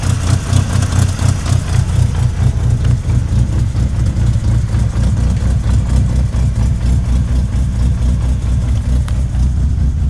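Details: 1998 Mitsubishi Eclipse RS idling: rough, heavy idle with a loose knock about two per second under the engine note; owner thinks it comes from the transmission, cause unconfirmed.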